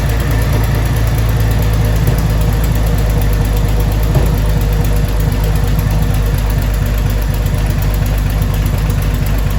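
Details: 2000 Jeep Cherokee Sport XJ first start after a new head gasket, thermostat and housing, and valve cover and manifold gaskets (old gasket failed, overheating): loud low idle with an uneven, lumpy beat about once a second and no steady rhythm; still running a little rough.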